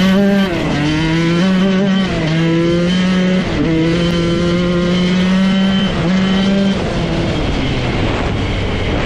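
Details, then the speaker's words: 1994 Honda CR125 two-stroke riding after the crank seals were replaced and the head and cylinder decked. It was boggy and smoky before. Crisp note climbs hard and drops at each shift through the gears; strong power, jetted spot on, running right. "holy cow this thing could not be running better it's got to be the best 125 I've ever ridden it has a ton of power"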